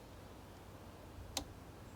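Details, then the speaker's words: Ford Focus MK1, low-speed radiator cooling fan commanded on via ForScan with engine bay quiet; one crisp relay click, then no fan whirr. Relay works but the fan motor is dead. "yeah yep that was certainly a click that relay has definitely clicked and the fan has not turned on sorry Nick we got a dead fan a definite dead fan here"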